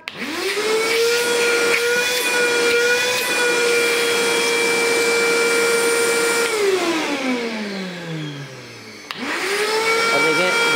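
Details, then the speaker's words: Karcher WD 3 vacuum cleaner after repair of vibration and abnormal noise from use without filter and clogging: steady even motor whine with no rattle or wobble, winds down and restarts cleanly holding pitch; vibration gone, healthy. "भी चली गई है तो main चीज है कि vibration चली गई है अब यह अगले तीन चार साल और चल सकता है"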